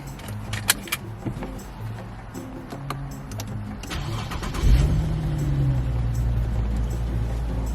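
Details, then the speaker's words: Infiniti QX70 after dealer goodwill radiator replacement following a radiator leak and engine overheat: key jingle, then a quick crank, clean catch and smooth low steady idle with no stumble and no engine light; sounds healthy. "So far so good. No engine light."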